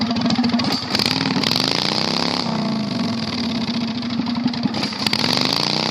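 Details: 670cc V-twin Predator go-kart, revived after sitting for months with carburetor problems: a harsh, crackling twin-cylinder bark that swells with each throttle blip, very loud because there is no muffler.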